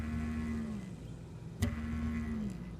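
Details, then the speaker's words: Heart Interface Freedom 10 inverter in a 1997 Fleetwood Discovery, with all power disconnected: its dying internal cooling fan gives a coarse, moaning low buzz every 10–15 seconds and sags as it slows. "that was the buzzing noise it would be making every 10 to 15 seconds and yeah it turned out to be that"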